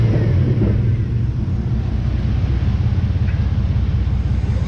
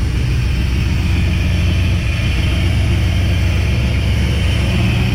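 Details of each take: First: Chevy V8 after mount work, running in the shop: deep steady rumble at fast idle with a slight shake, no misfire or stumble; transmission still to be topped off, engine running normally. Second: Chevy truck with an engine taken from another truck, where it ran smooth, now with ignition timing still being set. Deep, uneven, loping idle with stumbles and a backfire, from timing issues.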